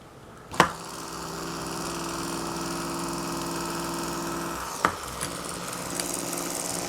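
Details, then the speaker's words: 1994 Saab 9000 Mark IV ABS pump motor after bearing, bushing and o-ring replacement, housing not fully seated: steady electric whir with a rough, buzzy edge and raised pitch; still noisy, possibly a socket slipped while pressing the bearing. "that doesn't sound much better now does it well i mean it'll work we'll see for how long"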